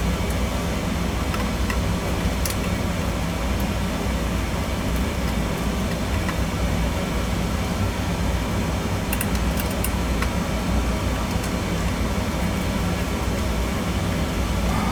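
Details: Old-style boiler with twin heating zones and hot-water storage zone, one circulator burnt out; even low rumble and constant hum without surging, banging or rattles; burner firing and circulating normally after power confirmed at zone.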